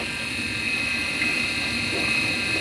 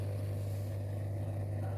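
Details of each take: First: Midea dishwasher wash motor that had seized, now running after repair and greasing: steady high-pitched whine with a rough hiss from a worn motor bearing; bearing replacement may be needed. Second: Midea dishwasher in for repair (the wash motor had seized because the water was gone); drain motor tested with power applied. Smooth, steady low hum at constant pitch with no grinding or rattle; the drain pump runs normally.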